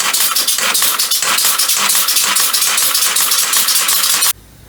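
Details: Homemade compressed-air motor mounted on a bicycle as a pedal assist, with a chain tensioner at the back. Fast, sharp metallic rattling that pulses with the motor, then cuts out; the chain lacks enough tension to stay tight.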